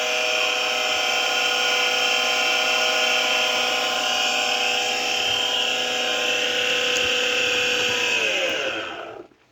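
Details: Kawamoto NF2-150SK well pump, junk unit with many missing parts and a repaired power cord: a constant high-pitched, buzzy motor whine that winds down as power cuts. Abnormal motor noise; the cause is not confirmed.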